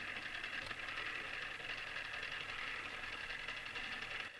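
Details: Tamiya Display Turntable (Black), first test spin right after assembly: a steady high-pitched gear whir with a fine fast buzz, even throughout, then dropping off at the end. Noisy gear mesh the owner dislikes, though it spins at a nice pace.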